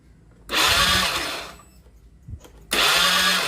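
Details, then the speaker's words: Honda Beat FI scooter, crank no start: two one-second bursts of starter whirr, engine never fires. No spark at the coil and no injector spray while cranking, so the ECU has failed and needs replacing. "Nah, sama juga ya teman-teman, injektor pun tidak menyemburkan minyak dan koil pun tidak mengeluarkan api. Jadi positif untuk di bagian motor ini ECU-nya sudah rusak."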